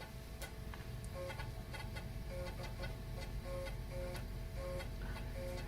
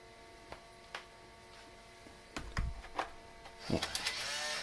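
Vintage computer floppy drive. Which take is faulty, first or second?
second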